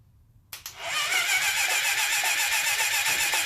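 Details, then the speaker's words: 1980 Honda CB750F barn find being revived, spark plugs out and cylinders flushed. The starter turns the engine over slowly, about four even pulses a second, with no firing. Slow cranking; owner suspects a connection issue or the battery. "I just want to spin it you know how it was just kind of real slow I really think it's a connection issue"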